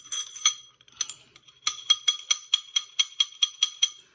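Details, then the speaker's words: Razor MX650/MX500/SX500 dirt bike front fork: sharp metal-on-metal clacks, about four a second, as the stock fork tops out at full extension after deep compression. "if they make a deep compression and come out that's when you're going to hear it"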